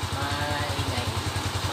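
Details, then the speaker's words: TMX125 Alpha converted to 175cc, warm after road test; now steady even single-cylinder idle thump with no rattle or clatter; smooth and healthy, valve clearance to be readjusted. "Oh, ngayon, Tahimik. tahimik na. Ayan, smooth na yung makina ni boss."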